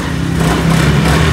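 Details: NMAX B2 scooter that wouldn't start for about three weeks (errors 1 and 3): with the dashboard panel unplugged, a short burst of steady, even low putter with no misfire or clatter; runs normally, the panel is at fault.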